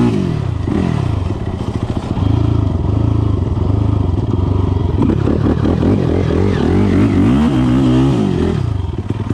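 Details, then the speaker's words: 2006 Yamaha YFZ450, fresh rebuild with 12.5:1 CP piston, hotrod crank, cam mod, 93 octane, lidless stock airbox with K&N filter, CT Racing full exhaust, hot day on trails: single stumbles and sags when throttle slammed open; bogging, owner suspects pilot jet, jetting off. "jetting is off you can hear when i uh like slam on the throttle it wants to dog out which something to do with pilot jet or something"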